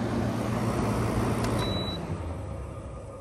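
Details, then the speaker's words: 2012 LG 6,000 BTU R410A window air conditioner, curbside find with donor cord, just shut down after startup and temp check: compressor hum fades to a soft rushing hiss as refrigerant moves around, normal pressure equalization after shutdown. "hear the refrigerant moving around in there curious this is r410a i am more than satisfied with that"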